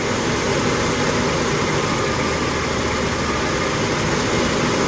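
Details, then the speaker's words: 1987 Ford F150 inline-6 EFI just after new EGR pressure feedback sensor (DPFE) fitted for code 32 rough idle and stalling: fairly even idle, slight fluctuation, no stalling; owner thinks timing needs adjustment; normal idle. "Running fairly smooth. I think I need a little timing adjustment as well, but I'm pleased so far."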